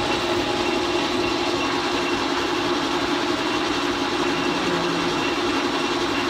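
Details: Leblond 19-inch lathe with 5 hp motor, back in service after motor bearing replacement and gearbox oil change: steady, even hum with light mechanical hiss under carriage feed, no knocks or grinding.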